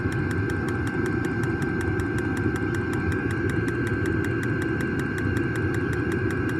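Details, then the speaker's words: New diesel heater just installed in a Jayco Freedom caravan, burning normally after switch-on: steady low combustion roar under a crisp, even fuel-pump tick about five a second, heard outside. "Turned it on, glow plugs heating up, pump's going. Certainly kicking in. You can hear it ticking away outside, that's for sure. Here, it's ticking away to pump the fuel."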